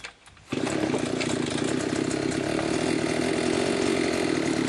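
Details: Limex Expert BT 524ba brushcutter after replacing a broken starter ratchet and cleaning the spark plug: the engine catches at once and holds a steady, even high-pitched buzz with no misses or rattles. It runs healthy.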